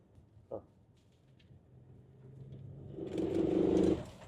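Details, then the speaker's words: Ford Transit Custom road test: cabin drone builds into heavy, rattling rumble and severe vibration when load is applied at low revs, fine at idle or light load; failed dual mass flywheel, replaced with clutch kit and hydraulic bearing. "So if you're low revs and not much load. However, if you put a bit of load, all of it vibrates."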